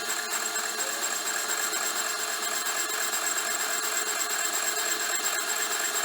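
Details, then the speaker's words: Mill boring a 6.5-inch hole in cast iron, deeper cut at increased RPM, handheld recording: thin high steady ringing over the cutting hiss, tool starting to chatter slightly; slow but finish acceptable. "Sounds like it's trying to chatter. it's going. It ain't fast, but I'm getting a suitable finish. There's a tiny bit of chatter, but nothing that's going to upset me for what it's doing."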